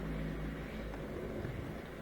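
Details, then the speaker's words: Miele Incognito dishwasher with F-08 error, previously circulating 10 seconds then pausing: quiet steady low hum running on without on-off cycling as water fills; circulation pump running continuously and normally. "but i think it's continually circulating now as it fills in more water we should hear it shooting around even more and more there we go here's some water"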